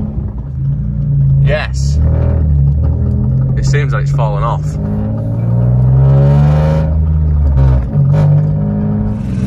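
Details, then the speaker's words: Citroen C1/107/Aygo three-cylinder: the scrap exhaust piece used in the repair snapped, giving a loud, raw, unmuffled drone swelling with revs as it blows freely. "I'll show you what's happening in a minute but this is this just sounds awful thought yes"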